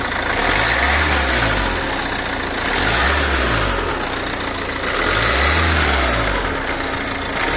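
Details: Ford Kuga Mk1 2.0 TDCi diesel revved and released repeatedly; extra noise only on deceleration; timing-belt-side engine mount new, gearbox oil changed with no metal particles; cause unknown.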